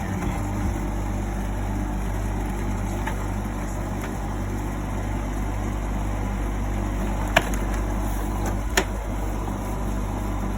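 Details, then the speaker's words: GE AHEK08ACW1 air conditioner, three weeks old, that kept kicking off, after bypassing the control board and putting the front back on; a steady low hum with an even fan rush and no knocking, not kicking off, blowing cold. Normal running. "turn it back on so far it hasn't kicked off it is cold it is on so at least it works"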